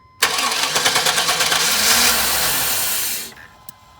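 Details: Chevy with distributor ignition, crank no start after replacing fuel pump, filter, relay, cap, rotor, crank and cam sensors and battery; spark and fuel pressure present: starter cranks evenly about three beats a second for three seconds, never catches; cause was a security system issue.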